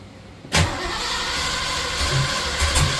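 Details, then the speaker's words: 1986 Ford F150 351W with newly fitted Holley Sniper EFI and HyperSpark distributor cranking sluggishly on low battery voltage without catching; distributor clocked wrong, number one not set, plugs one off all around; crank no start. "Okay, so troubleshooting, we had one spark plug off all the way around. So I didn't have number one set right whenever we clocked the distributor."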